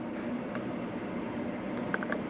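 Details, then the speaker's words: Caravan fridge switched to gas mode: a few faint sharp clicks over a steady hum as the igniter self-lights the gas flame normally. "and you'll hear it clicking away, and that is the fridge self-lit."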